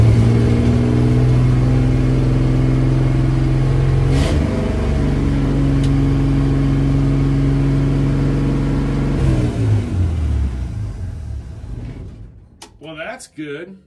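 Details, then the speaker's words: Car carburetted engine just started after fuel reaching float bowl, some smoke: holds a fast steady idle well above normal, then revs sag and fade; idle set too high, to be adjusted down at the carb. "got some smoke going but um everything seems to be idle way too high so I'm going to go and adjust it down"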